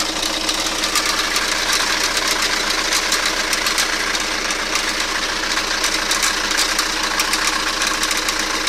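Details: Toyota Carina engine at idle: sharp, uneven but persistent metallic tapping from the sump area over a thin engine note, source not yet pinned down; metallic engine knock.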